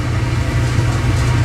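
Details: Clothes dryer running with door open while the heating element glows cherry red then cuts off, owner suspects element or thermostat: even low drum rumble with no thumps, squeals or slapping; drum and belt run smoothly.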